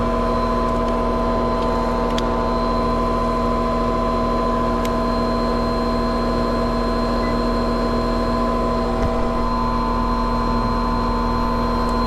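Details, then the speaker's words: Trane condenser fan motor on an R22 system, before replacement: constant droning hum with a steady whine on top, unchanging; the condenser fan motor is the noisy part (the blade hub was also considered). "all right that sounds like that condenser fan motor is a problem so"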